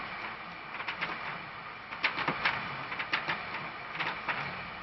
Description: if you saw the first video about this picture you will remember that annoying grinding sound, in this video i ill be fixing that issue